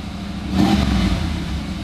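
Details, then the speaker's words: Cobra, carbureted, 22,000 miles, just cold-started: smooth, even fast idle with one throttle blip that kicks it down to medium idle; normal cold high idle. "You start it up, it sits on a nice high idle like you can hear now. You blip the throttle once, it goes down to a medium idle."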